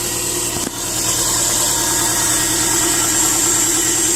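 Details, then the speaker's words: 2010 Subaru Impreza 2.5 non-turbo (113,000 miles) first started after an engine replacement, since the old engine had run without oil, with no coolant in yet while checking for leaks. Steady, even idle with no knocks, ticks or misses, just hiss and fan noise. "Got no coolant in it right now, but I just started it, just checking for leaks and stuff like that. I don't see anything goofy going on."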